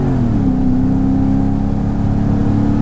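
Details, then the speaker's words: Mercedes-Benz E55 AMG W210 with a Kleemann supercharger and a misfire problem, ESP off, manual mode, revs built gradually to 5,000–5,500 rpm without limp mode: a smooth rising supercharger whine over the V8 roar, normal. "hear the supercharger winding a bit five 5 and half th000 strange it doesn't usually allow me to do that"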